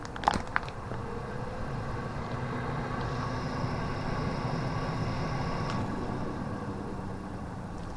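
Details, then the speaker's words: Bathroom extractor fan after pipe cleaning and board re-soldering, on test: steady quiet fan rush whose motor tone rises when the outlet is blocked, which is normal; intermittent fault persisted afterwards. "It's very quiet. Seems to work. If I block it, you can hear the motor go up."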